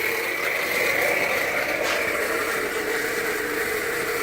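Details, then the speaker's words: Loud, steady rattling whir with a high scraping ring over the running engine (small 2.4 Jeep such as Patriot or Compass), not easing with the compressor on; the alternator's internal bearings have failed. "alternator is coming in part internally the bearings are extremely loud uh pretty much a known problem with these"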